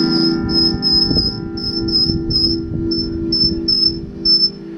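A piercing high whistle comes in repeated bursts over a low hum, the amp oscillating because the output transformer windings are out of phase.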